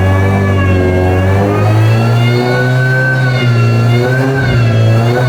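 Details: Auction-bought car with custom exhaust, after refabricating and refitting the section that was blowing between two joints. Clean, throaty revving rises and falls smoothly with the throttle, with no ticking or puffing leak: normal, sealed exhaust note.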